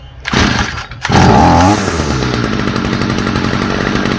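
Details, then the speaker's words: Stihl FS45 trimmer two-stroke engine after a carburetor swap: it pulls over, revs briefly, then drops to a steady, even idle with no hunting or stumbling. Idle is much smoother than with the old carburetor. "Much better. Idle's a lot smoother."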